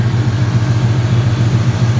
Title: Vacuum leaks